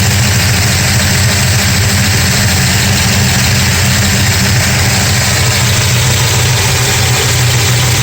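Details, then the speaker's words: 1969 Dodge Charger 440 V8 warming up after re-torquing loose exhaust header bolts (#2 very loose, #4 slightly): steady even idle, deep rumble, no banging or ticking; small oil smoke puffs from oil on headers. "I'm going to run it for as long as it takes to see if that noise comes back. A couple of little puffs of smoke coming here and there from a little bit of oil hitting the headers, but so far so good."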